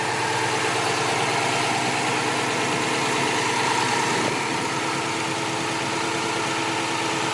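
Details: Subaru WRX bugeye wagon after replacing a failed OEM intercooler inlet with a Grimmspeed unit. A steady, even idle with a constant hum and no misses, knocks or hissing leaks: normal idle.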